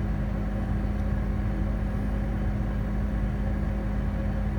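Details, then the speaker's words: 2009 Amana 95 two-stage variable-speed gas furnace running in first stage: a smooth, even low hum with no knocks, rattles or squeals, a very quiet furnace; normal running. "This is a very quiet furnace too."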